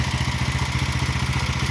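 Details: 170F single-cylinder engine after replacing crankshaft and connecting rod: even, steady thump at a fast idle with no knocking underneath; the knock is gone. Normal running.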